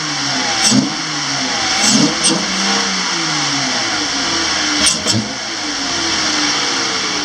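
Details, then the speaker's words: 2013 Dodge Challenger SXT 3.6L V6 just after installing a K&N Typhoon cold air intake, battery reconnected to reset the computer: smooth even idle, then clean throttle blips rising and falling, free-revving, healthy. "Alright, you see we're got her idling here, or him rather. It's going to do a rev it up a little bit so you can hear the difference."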